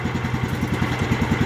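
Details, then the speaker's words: John Deere GT225 with a rebuilt Kohler Command CV15S (seized lifters, burned exhaust valve seat), after ~3 hours of use, a fresh change to 2 qt synthetic 10W30 and a new filter: even single-cylinder idle, no more lifter noise; a filed new drive belt may be audible. "alright so the oil has changed and seems to be running pretty smooth"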